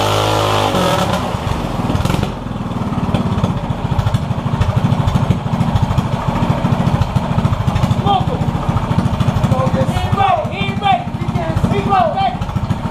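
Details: Yerf Dog go-kart with a 212 Predator non-Hemi engine, billet flywheel, 80-pound springs and Mikuni carburetor: single-cylinder runs at a fast, steady patter with crisp exhaust pulses and no misses; sounds healthy.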